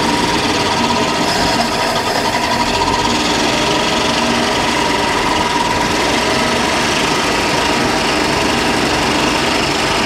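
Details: 1962 Dodge D300 work truck started after 34 years stored, on choke with fuel poured in the carb bowl: loud busy idle with fast ragged clatter, fairly steady speed, no lifter tick; rough idle after long storage.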